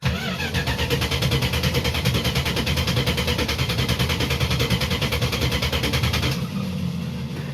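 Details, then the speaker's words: A 1967 Barracuda, 1970s Barris Kustoms custom, after sitting roughly a year. Steady cranking at about three turns a second for over six seconds, it never catches and the starter drops out: no start, cause unconfirmed. "mind you this thing's been sitting for probably a year so I doubt that it'll start too easily"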